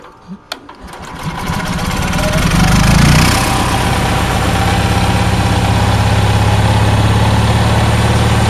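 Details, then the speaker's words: Onan generator started after sitting 4-6 months, fuel pump connected only after hitting the switch: a few cranking thumps, then it catches and settles into a steady, even low rumble with no knocks or misses; running well. "but H is running pretty good"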